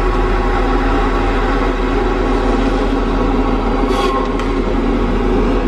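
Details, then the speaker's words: Tigercat LX830D track cutter on wet ground after rain: heavy diesel drone with a low even rumble and tracks running quietly, no squeak. The squeaking was caused by dry conditions. "as soon as we get this rain kind of Westar ground you don't hear the track squeaking anymore"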